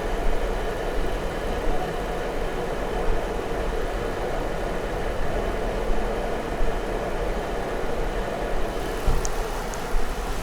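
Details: Jeep Wrangler P0304 misfire at idle; coils and injector already swapped with the fault staying on the same cylinder; oscilloscope shows injector signals good, so the problem is judged internal to the engine. Uneven beat with occasional stumbles.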